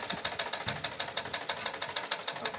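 Light, even ticking at about six or seven stitches a second, steady rhythm with no knock or grind; the machine runs smoothly.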